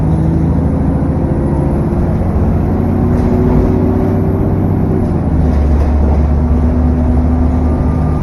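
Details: SN61 DDE E210, driving on a dead run back to MB: steady diesel drone, heavy low rumble, faint steady high turbo whine and cooling fan roar; cause unclear.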